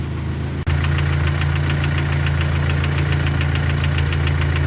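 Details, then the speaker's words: Dodge Neon stock car with a freshly swapped engine, first idle while warming until the fans start. A steady idle with a light, crisp tick about four times a second: valve train noise, possibly sticking lifters; owner may swap valve gear. "Seems to have a bit of valve train noise too. I'm not too sure I like that."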